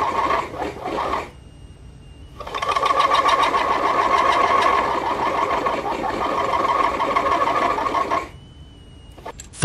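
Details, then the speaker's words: Compact DIY aluminum-case combination lathe/mill/drill cutting a 1.5 mm groove in a 5 mm steel shaft: harsh buzzing squeal near one pitch, pulsing several times a second; chatter from totally insufficient machine rigidity. "La rainure de 1,5 mm ne peut pas être tournée correctement en raison d'une résistance totalement insuffisante de la machine."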